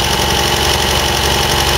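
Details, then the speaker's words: MGB twin-carburettor petrol engine warming up after carb overhaul and initial mixture adjustment: idle speed rising but lumpy and uneven; judged a bit lean, mixture check confirms slightly lean on both carburettors. "Obviously you can hear the idle speed coming up as the engine warms up, but it's lumpy. I'd say a bit lean at the moment."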